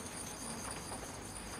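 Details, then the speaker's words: Unpowered halogen heater bulb shaken by hand, compared against a repaired 1960s Belling heater: faint tinkling clicks as the loose filament rattles inside, likely why these bulbs are short-lived. "Can hear that filament rattling around in there. That's probably why they're so shortlived."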